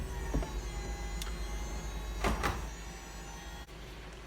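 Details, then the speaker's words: VW EOS convertible roof after a repair for a fault that had made the roof stop mid-opening: steady electric hum from the rear with a few panel clicks, roof opens and stands up; normal roof pump operation. "one does go down some roofs opening and I already often hear that the pump working in the back and the roof standing up so good result"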